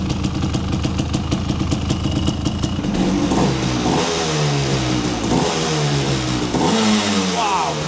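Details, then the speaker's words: Rare Honda 250 TRX two-stroke quad, about 1986, restarted after rebuild, with a small fuel leak noted: crisp steady ring-ding idle, then clean sharp blips without stumbling; runs perfectly with slight smoke and a stock-sounding exhaust. "[ __ ] il tourne à la perfection. Ah là là ! Ça j'aime trop. J'ai coupé l'essence exprès. Ce bruit et il tourne."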